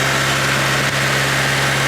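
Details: Honda Civic just swapped to a D16Z6 engine: steady even idle with constant low hum and no knocks or misses; normal idle.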